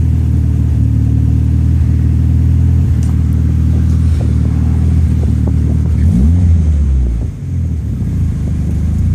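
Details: Toyota ST205 engine: deep, lumpy rumble with uneven stumbles as revs rise and fall; the engine is misfiring.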